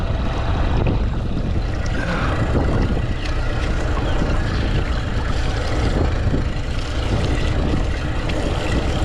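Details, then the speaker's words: 70 hp outboard on a newly bought used boat, fired first try, tell-tale stream weak and possibly clogged: steady, even low rumble at idle with no misses, knocks or surging; engine running really good. "Engine's running really good. I'm going just let it run for a little bit. I'm actually shocked. Fired up first try"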